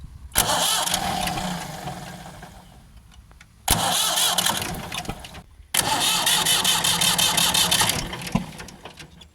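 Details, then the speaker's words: Ford 4600 tractor diesel after fitting a service-exchange injection pump, injector pipes cracked open for bleeding: three bursts of cranking with uneven chugging and no start, no smoke; air still in the fuel lines. "It's a bit worrying, isn't it? Still no smoke, no sign of any fuel."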